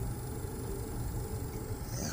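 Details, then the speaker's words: Air conditioner outdoor unit running after coil cleaning, sensor wire fix and reassembly: low steady hum with a soft even fan whoosh and no knocking, rattling or squeal; runs very quietly and healthy. "She's running great. The fan's going. And you can't even hear it, but this unit is on right now. Incredibly quiet."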